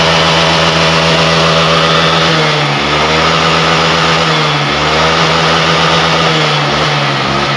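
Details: Honda Vario 125 FI scooter after fixing severe misfiring (brebet) and clearing the warning light: steady, even engine note rising and settling smoothly with throttle, no misfire or stumble; running cleanly.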